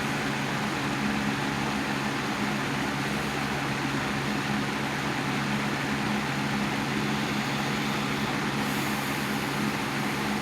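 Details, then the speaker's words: 1987 Patton CA-1284 12" rotary box fan with the front guard back on, on low after medium. Steady soft whir with a faint even hum and no rattle or knocking; it runs very smoothly with minimal vibration. "it's running very smoothly minimum vibration"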